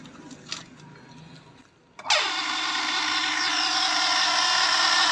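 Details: Household water pump starts up and runs with a harsh, unusually loud whine; the cause is found under the rear motor cover and the damaged part is replaced.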